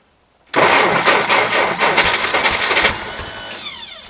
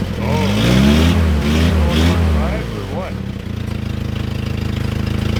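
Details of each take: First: 1960 Jeep CJ, first start in years, cold at about minus 30 on a new battery; cranks with uneven catches and brief firing bursts, then dies; owner suspects it needs a little more fuel. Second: 1960 Jeep CJ old four-cylinder, first cold start in years, new battery; idles evenly then revs up and drops back smoothly several times, no knocks or misses; carburetor judged fine, normal idle and revving.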